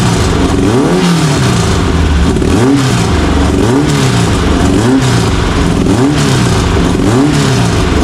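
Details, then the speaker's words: Air-cooled VW engine in a Baja buggy, about 130 hp naturally aspirated, roughly 10-12:1 compression, timing set to about 28°, race fuel planned: repeated quick blips rising and falling cleanly with a crisp exhaust and free revs, normal revving. "what's that sound like that sounds like 130 horse baby VW power naturally aspirated 10 and 1 12 to compression to one"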